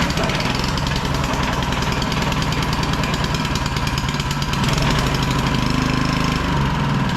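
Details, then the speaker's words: Small auction generator after cleaning the spark plug, fresh oil and fuel, air filter, started on choke: busy rapid single-cylinder putter at steady speed with a slight lift midway, no missing or knocking; runs really well. "now little thing runs really good so that's A500 W generator"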